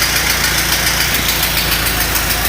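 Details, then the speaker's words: 1934 Model A four-cylinder, fuel and ignition on, timing advanced fully, throttle half, started with the hand crank: once it catches, dense steady idle with no misses or surges; runs evenly, seems to fire easier by hand than by starter. "almost seems like it fires up easier by hand than it does with the starter but it's alive"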